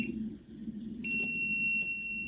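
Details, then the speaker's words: A homeowner's electrical meter, with probe caps fitted against arc flash, testing a live circuit in a box and reading about 123.6 volts. A thin, high, continuous electronic tone starts about a second in and holds steady as voltage is detected. Voltage detected. "see now I can tell see up in here it wouldn't read there now we're getting close [Music] 123.6mi"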